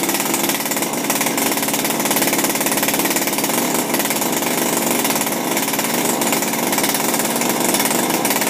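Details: Refurbished Shindaiwa power broom two-stroke with new carburetor, gaskets and recoil, no air filter fitted: steady high-revving buzz holding even pitch, no surging or misfiring; normal running.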